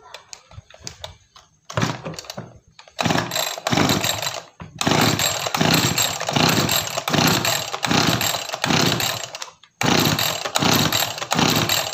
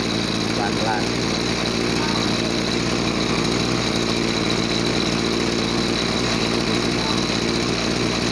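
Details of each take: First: Small two-stroke farm sprayer engine surges and stumbles when throttled, cutting out twice and lacking power; carburetor opened, dirt suspected as the cause. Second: Small two-stroke agricultural sprayer engine, formerly bogging with no power on throttle, after carburetor cleaning and air/fuel screw adjustment: steady, even buzz with no bogging or surging; normal running.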